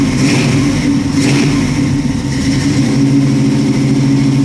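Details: Chevy Nova V8 idling after a cold start following fuel line replacement, choke not yet bolted up: steady even low rumble, smooth firing beat, no knocks or misses; idling cleanly.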